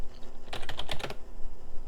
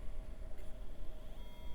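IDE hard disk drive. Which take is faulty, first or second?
second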